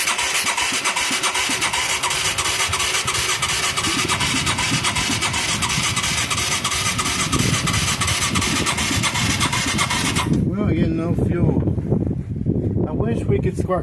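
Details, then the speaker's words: Mid-1980s Yamaha YFM200 Moto-4, weak spark: steady starter churn with coughs, never catches; no start because fuel isn't reaching the carburetor bowl. "why ain't we even back for ing we're not getting gas into the bowl I can tell you that much"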